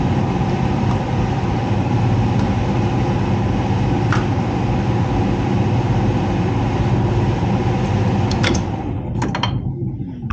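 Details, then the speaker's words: Heat pump with electric heat, reported making loud noises: a loud rough drone with an uneven rattle about three times a second until shutdown; the technician suspects the fan/blower motor, unconfirmed. "what the heck is all this crap it sounds like the F fan motor is something's going on with the fan motor"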